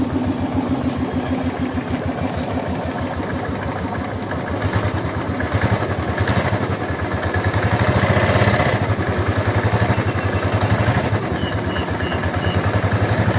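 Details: Royal Enfield Classic 350 single cylinder after engine rebuild with 635 C3-clearance ball bearings: steady thump at roughly 230 beats a minute with no knocking or rattle, a normal healthy idle.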